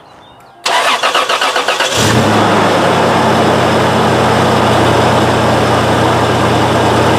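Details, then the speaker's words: Toyota 3.4L V6 (5VZ-FE) after alternator replacement and belt tensioning: cranks over a second, catches cleanly, settles into a steady even idle with no belt squeal; normal start and idle. "next step, if your belt didn't squeal, is to pat yourself on the back."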